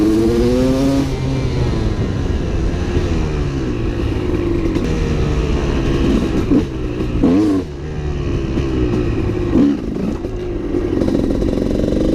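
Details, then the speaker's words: Honda CR250 two-stroke supermoto with a Mikuni carb, ridden under load: revs climb, then break into a blubbery sputter and fall flat with no power up top; the main jet is too rich and was later changed. "all right now I'm gonna run the bike so you guys can hear it when I'm riding and I think it's even more noticeable the sputtering out and lack of power"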